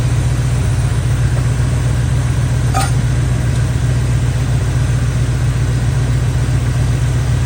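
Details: Chevy square-body barn-find truck, automatic V8 (called a 350), after timing set by ear and a distributor, carburetor and ignition tune-up: steady, even idle with a smooth low rumble, no misses or knocks; motor running decent.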